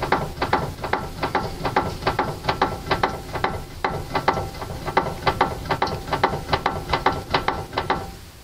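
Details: Car steering with tie-rod boots removed; tie rods found fine: sharp, dry clicks about twice a second with no engine behind them, possibly a knock inside the steering rack body; steering knock.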